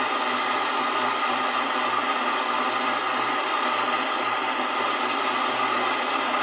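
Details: Centrifuge (spin dryer) motor after replacing a faulty capacitor with a 25 one: steady, even hum with a constant high ringing whine, no speed change; motor now runs but unexplained noise remains, possibly needing motor disassembly.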